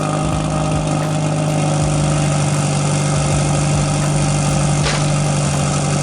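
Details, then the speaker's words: 1994 Toyota Celica GT, cold start after a fuel pump replacement: the engine idles low and slightly unevenly and dies. The car usually stalls within a couple of seconds to a minute of starting; the owner suspects the fuel pump relay. "If it shuts off again, just like that, then I am going to assume that it is my relay. It might be my relay."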